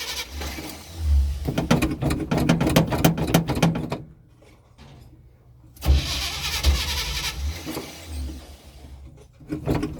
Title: Hard starting the 1984 chevy